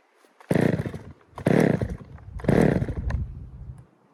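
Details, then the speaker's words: Poulan 3000 chainsaw after service (fresh fuel, air filter cleaned), previously reported not starting: three crisp throttle blips about a second apart, revving cleanly back to steady idle; runs normally. "so there you guys have it. So there was really no issue with it running."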